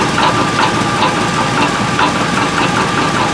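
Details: 2003 Chevrolet Tahoe at idle: loose, irregular knock two or three times a second that stays consistent; suspected broken flexplate, also an exhaust leak with likely broken exhaust manifold bolts. Cause suspected, not confirmed.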